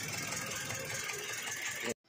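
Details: 2021 Toyota Avanza with misfire, cylinder 3 misfire code, after new spark plugs and coil swap still misfiring: uneven, stumbling idle with light top-end clatter; one cylinder dead, later traced to detached cylinder 3 rocker arm.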